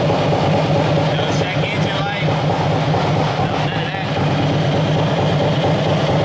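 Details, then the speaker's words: Cammed Harley-Davidson bought from Copart, first start on its own battery with fresh oil: deep, lumpy V-twin loping at steady idle like a hot cam, sounding strong and healthy. "This thing sounds like a freaking beast."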